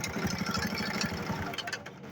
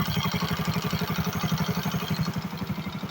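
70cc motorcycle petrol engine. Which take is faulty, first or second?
first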